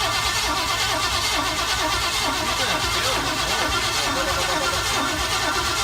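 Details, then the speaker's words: Chevy 350 V8 race car engine, noise getting worse; a foreign object (suspected bullet or socket sucked in from the intake manifold) is loose in the combustion chamber: strong running with uneven, random bangs off-beat from the firing, like something bouncing. "It sounds like something bouncing."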